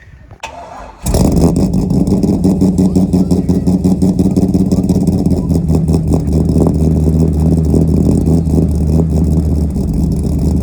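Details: Corvette C5 V8 after coolant tank replacement, would not start until jump started, owner blames known C5 parasitic battery drain: quick crank, catches at once and holds steady throbbing idle, left to charge.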